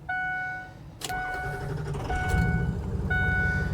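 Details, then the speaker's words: 2005 Ford Excursion Limited 6.0L Powerstroke diesel 4WD, 186k miles, new injectors and turbo, EGR delete; near-cold start just moved from garage, wait-to-start light on. Brief crank, catches at once, settles into steady even idle; normal healthy start. "Fires right up. And that's all that's ever done for me to this point is just start right up."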